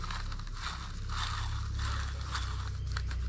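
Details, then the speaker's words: Oliver 7300 variable speed thrust bearing, removed from the combine and spun by hand: dry, gritty ratcheting crunch rising and falling with each spin; the bearing feels dry and is badly worn, near failure, and is being replaced. "not long for the world. I don't know if you can hear that. It even feels dry."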